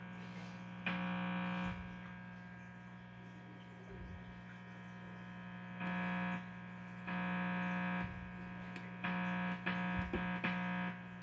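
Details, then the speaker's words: Amplifier buzzes with a low mains buzz when nothing is touched; the buzz stops when the guitar strings are touched, while touching the metal part of the keyboard makes it buzz, pointing to a grounding fault. "So here's the buzzing noise that it makes when I'm not touching anything. It's buzzing. Now when I touch this, nothing."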